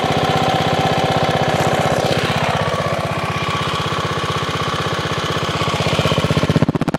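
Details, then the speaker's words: 5hp minibike single with a homemade welded exhaust, baffle and slight leak. Loud, rapid, even popping with strong exhaust bark at steady speed, no misses or knocks. Finding: normal running, fairly loud. "Sounds the hell good. It's actually fairly loud."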